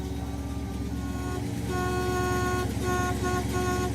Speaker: >> Oh, I hear the bison horn. Oh, there we go. >> Bison horn. >> It's working.